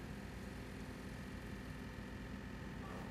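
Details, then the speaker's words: Heathkit Hero 1 robot powering up and running its homing routine to all limits: a steady low motor drone with a light rattle as the arm pulls fully in to 30. This is normal. "homing feature takes it to all its limits that's 31 and you'll hear a bit of rattling and what that is is pulling the arm all the way all the way in to 3-0"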